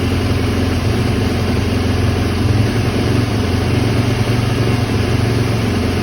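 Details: 2010 Yamaha YZ450F that was hard to start and needed push-starting, after a valve clearance check, new fuel pump, spark plug and replaced cams: a steady, even single-cylinder thump at idle with no knocks or misses; healthy.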